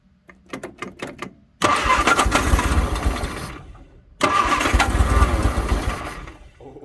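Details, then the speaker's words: 1962 Vauxhall Victor that sat 25 years, restarted with a little gas added after quick carburetor work: a few cranking bursts, then it catches and runs rough and uneven with smoke, dies and catches again; it ran out of gas. "oh yeah oh she's trying [Applause] she's trying it's getting Smoky out here"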